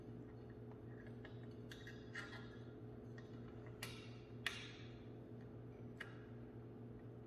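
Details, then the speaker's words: Newly replaced ceiling fan light pull-chain switch: crisp, sharp clicks over a low steady hum as it snaps over cleanly. The old faulty switch gave no click, only sliding friction. "the old one it would not make that clicky noise you would not hear it just you just see the friction sliding back and forth so that's how i knew that it was not functioning properly"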